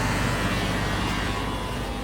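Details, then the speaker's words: 2019 Ram 6.7L Cummins diesel cold-started at about -2°F with the grid heater on: a steady, pump-like high whine rides over the rumble. The owner wonders if it is power steering, and a coolant-like dash indicator also appears. "it is freezing out can hear the heater going not bad that's impressive some weird noises going on in here huh not sure what that"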